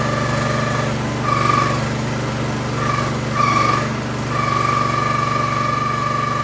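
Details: New Harbor Freight Predator 212cc engine on a Prime Mover forklift that sat outside 15 years, on straight gas with stabilizer, first fire-up: light busy single-cylinder idle with brief surges in speed; normal idle.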